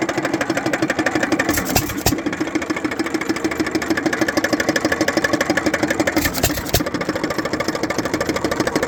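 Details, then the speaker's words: Economy/Hercules 3.5 hp hit-and-miss engine, Wico EK magneto, good compression: rapid, regular knock about three per second over the firing chuff, from play in the connecting rod bearing and wrist pin. "there's a little bit of play in the rod bearing which you can see there. And a little bit in the wrist pin. I can see a little bit of play there and you can hear it when it runs."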